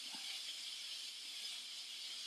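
A steady, loud, high-pitched hiss of steam rushing out of a pressure cooker's release valve.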